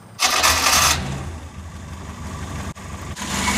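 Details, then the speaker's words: Mk2 Ford Escort after carb and fuel pressure regulator rebuild, top lid snugged down for air-leak test: quick crank catches at once into an even, steady idle, no misses; no leaks. "seems to be running pretty smooth no leaks test for an early seems alright no leaks from here"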